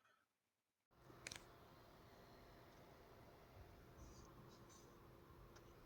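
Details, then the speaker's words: Aoostar AG02 eGPU dock with Great Wall 800 server-grade PSU, after fix (removing PSU retaining screws that pressed on the fan casing): soft, steady fan whoosh with faint low hum, no rubbing or rattling. Normal quiet fan. "decent improvement I think in terms of um sound and everything."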